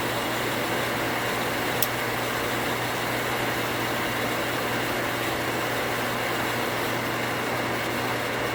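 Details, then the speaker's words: 240V water pump after pressure switch rewire to a new switch cutting off 10 psi higher: constant steady motor hum while building pressure, no switch chatter or short cycling; contacts activated at 45 psi. "what i'm expecting it to do is to come on build pressure and turn off without chatter so far so good"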